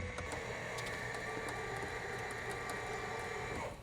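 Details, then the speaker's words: Trinidad TB20 grounded 15 years, flaps running down to the landing setting. A soft, even electric hum with a faint steady whine, no grinding or catching, then a clean stop; very nice and quiet, so the flap motor is healthy. "actually. Very nice and quiet, too. Wow. Very nice."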